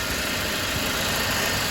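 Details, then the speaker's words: Mercedes-Benz C250 after turbo removal and rebuild, cooling properly with no leaks: smooth, even idle hum with steady hiss, no rattles, knocks or whistles; healthy idle. "cooler level is cooling properly. Oil is going through the system and no leak so far, so hopefully it stays that way."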